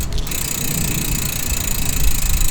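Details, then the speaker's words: Pashley Princess bicycle's Sturmey-Archer AW 3-speed rear hub after a complete overhaul and cleaning, wheel spun on the bike: fast, even pawl ticking over a smooth free spin with no grinding or rough spots; hub freewheels normally. "Let's put it on and see if it moves. Have a listen to this. Does that not sound like a bike?"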